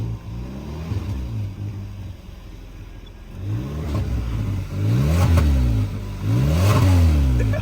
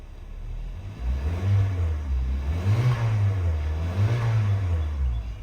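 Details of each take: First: 2014 Kia Soul after catalytic converter replacement, exhaust pipe joined with a double U-bolt clamp, revved in bursts: raspy puffing edge rises with each rev over the low exhaust note; exhaust leak at the clamped joint. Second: 2014 Kia Soul after catalytic converter replacement with MIG-welded exhaust, door open: three clean throttle blips, revs rising and falling smoothly with no rattle or exhaust blow; sounds much better than before; normal revving.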